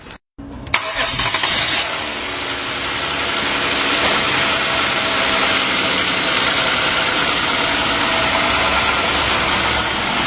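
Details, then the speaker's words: 2011 Hyundai Genesis, after replacing a bad idler pulley and the drive belt (noise the customer thought was the power steering pump): the engine fires quickly and settles into a steady, even idle with no squeal or chirp; accessory drive now quiet. "okay we've got the new either pulley and the dry belt on there and as we can hear it's it's quiet that's took care of it"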